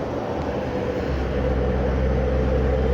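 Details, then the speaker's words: Iveco Genlyon 682 truck on a road test after a rebuild of its Fuller 12JS160T gearbox: steady, even drone under way with no gear whine, grind or clunk; the truck pulls cleanly with plenty of speed, normal driving. "እንግዲህ መኪናው በጣም ስፒድ አለው እንደምታዩት ይሄው በጣም ስፒድ አለው። በጣም ምርጥ መኪና ነው።"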